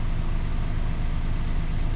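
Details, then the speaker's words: 2005 Toyota Passo idling after its ignition coil ground fault, behind an intermittent no-start, was repaired; steady, low, even idle with no misses or stumbles, firing cleanly on all cylinders; normal idle. "Well, we fixed that ground, we fixed this engine."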